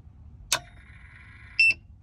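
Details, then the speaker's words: Renogy 2000 W inverter on a Renogy 170Ah LiFePO4 battery, switched on after sitting unused with only a fridge and puck lights as load: a click, a faint tone, then a shrill beep as the voltage drops below 10 V (9.3 V) and the lights dim. Under-voltage alarm. "and as you see the voltage has gone under 10 volts i'm getting an under voltage warning the puck lights have dimmed in the car"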